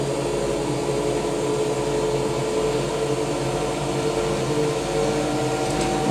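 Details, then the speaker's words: Hotpoint BIWDHG75148UKN integrated washer dryer with Welling motor on rinse and spin test: steady even hum with mild mid-pitched drone, no knocks or scraping; spin sounds healthy. "This is awesome. It sounds good."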